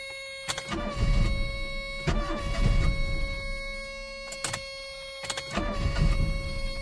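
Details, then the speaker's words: Long-stored Proton barn find, under a crusty bonnet, cranked on a jump pack: repeated spells of starter churning with pauses, then the petrol engine catches and runs. Long cranking, then the engine starts. "ymlaen mae'n byw mae'n byw yn anhygoel ac fel y clywsoch chi wedyn yn wyrthiol dechreuodd y car uh gyda'r pecyn neidio hwnnw"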